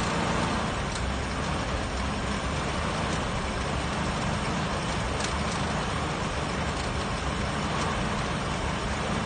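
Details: 1966 Ford Mustang started after 12 years of not running: steady, even engine rumble with no misses, stumbles or knocks; runs normally.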